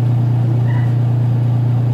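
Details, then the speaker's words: Washing machine with timer on: motor runs with a steady low hum but the pulsator stays stopped; the motor pulley slips on the belt because the pulsator drive pulley is seized, possibly freed by lubrication. "Yung puli ng motor, umi-slide na sa belt. Umi-slide na yung puli ng motor sa driving, sa belt drive o driver."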